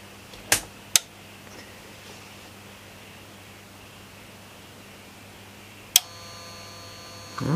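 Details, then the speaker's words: Sony STR-DE475 surround receiver under repair (recapped, joints resoldered) with back panel off: faint steady low hum with thin buzz under relay clicks on the CD input outputs; owner suspects missing back panel, unconfirmed. "little bit of noise there so i suspect that noise is probably something to do with me not having the back panel on"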